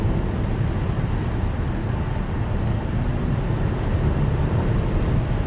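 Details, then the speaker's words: 2008 Subaru Outback H6 3.0L with VVT codes P0011/P0016/P0018, accelerating hard in manual mode; deep, even roar with no misfire, stumble or knock; healthy acceleration. "With the 6-cylinder, it pulls. I was in manual mode there. Yeah, it sounds like a race car."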